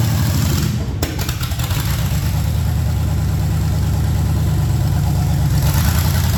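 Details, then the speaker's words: Project truck with LS swap on a lift; heavy, lumpy V8 rumble with an uneven, wandering beat that never settles and won't run under throttle, from two big vacuum leaks and no mass airflow sensor. "obviously it wouldn't run under throttle um especially not spend the tire so we've got no mass airflow sensor which means no run pretty much um and we've got a couple of vacuum leaks"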